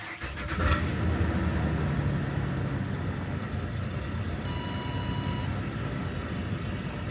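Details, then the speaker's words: 2008 Ford Explorer 4.0L V6 idling after replacing the damaged MAF plug harness, MAF sensor and air filter, which cured stalling and rough running: a soft, even idle held slightly high with no hunting, and a chime in the background. "That looks a lot better to me. Still idling fine, but just for the heck of it, I'm going to hit diagnose again, auto detects, and run it one more time."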